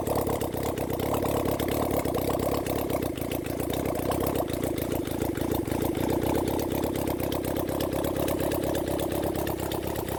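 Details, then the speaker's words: Honda CB400 Four engine on a bench run after reassembly, warming up before carb balancing: quick, even firing beat settling into a steady idle with no misses, knocks or hunting; runs cleanly. "all right it sounds good when I get my car balances set that up then we'll try balance the cars"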